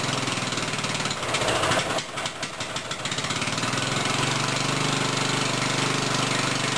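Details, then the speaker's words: Black Murray small engine, second start on sprayed brake cleaner after a little gas was poured in, carburetor removed and suspected: sputters and coughs unevenly, then settles into a rough run; fuel delivery suspected. "I'm going to get it running no matter what with some brake cleaner. So this will be the second start."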